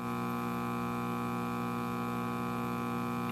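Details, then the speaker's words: AirCastle model 5050 All American Five tube AM radio: a constant low mains hum, with only about 26 V of B+; the filter capacitor and 35W4 rectifier tube are both dead. "volts AC so the filter is dead and the rectifier tube is dead"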